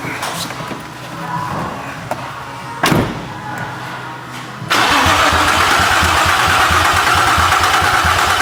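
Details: A 2005 Infiniti G35 gives a few uneven cranking bursts, then a sustained loud rush with no firing; it cranks but won't start. Strong fuel smell is noted and the injection and ignition fuse boxes are being checked.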